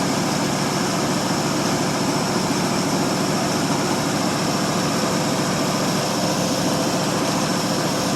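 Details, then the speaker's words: 1952 Ford Customline 239 cubic inch flathead V8, cold start after probably one to two months sitting, 12-volt jump pack on the 6-volt battery: smooth, even, quiet low purr at idle with no lifter ticking or clatter; healthy. "Let's listen to that old flathead just taking purr. Quiet as can be."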